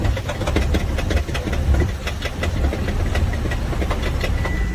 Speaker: I can hear crunchy noise while it's sitting there idling. is the noise really loud.